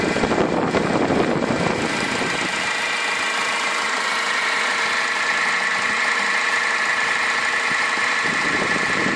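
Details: 2010 Toyota Yaris 1.4 D-4D diesel, 40,000 miles, fully serviced, at idle: a steady, thin high-pitched whirr over a quiet diesel hum from the alternator/tensioner/water pump area. A new alternator did not change it; the belt tensioner is suspected next.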